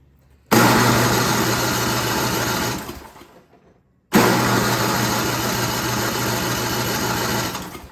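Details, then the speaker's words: Yard King snowblower that would not start, after regapping an overly wide spark plug and spraying starting fluid: two steady cranking bursts of about two seconds each, no catch even on fluid; the carburetor was later found out of tune. "well that is not good when it doesn't uh kick off using starting fluid"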